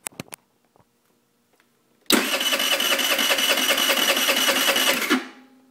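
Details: 2008 Peace moped scooter cranks but won't start: fast, even starter whirring for about three seconds with no firing. Carb just cleaned and spark plug new; it ran before the cleaning. It has good compression but isn't getting gas. Owner suspects misrouted hoses.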